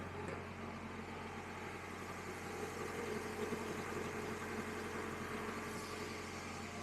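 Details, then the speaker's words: 1999 Acura CL idling just after a jump start in freezing Minnesota winter with a weak battery: quiet, steady idle with an even low hum, no knocks or misses; running smoothly. "so an extra 30 seconds of run time here won't make much of a difference but we're going to leave the engine running while we get our charger set up"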